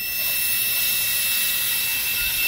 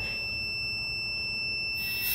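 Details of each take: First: Boost cut pressure switch for a turbo LS-swapped Ford Ranger, bench tested with compressor air and a buzzer. A thin buzzer tone over loud air hiss drops out partway; the switch opens intermittently well below 15 psi, so a new switch was ordered. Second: Boost cut pressure switch for a turbo LS-swapped Ford Ranger, tested on compressor air with a continuity buzzer: a steady, unbroken high-pitched tone shows the switch closed and conducting. It later opens intermittently, well below 15 psi.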